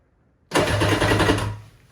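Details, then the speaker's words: Vintage Yamaha jet ski pulled from the weeds, first battery hookup test: about a second of quick, even starter cranking, then winds down; engine turns over freely, not seized, before spark plug and spark checks. "that's where we're going to stop the engine fires over this is awesome"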